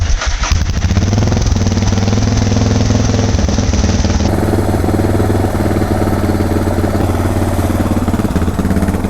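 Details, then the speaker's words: Suzuki DR650 single-cylinder with carburetor mods during idle-screw adjustment: the idle thump swells and sags unevenly, with an occasional dropped beat when it surges; an idle surge with misfire. "Like, when it does surge, then you hear kind of like that little miss."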